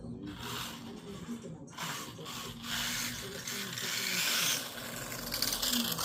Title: Grinding sound, means only one thing new pinion gear 👍🏾